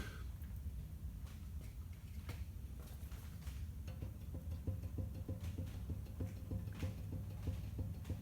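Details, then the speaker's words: Toyota Land Cruiser Prado 120 at about 260k, steering rocked by hand: quick hollow knocks about three a second from the passenger-side steering rack inner ball joint, not the tie rod end; worn. "hear that knocking noise that's take my word for it's coming from the passenger side in a racking"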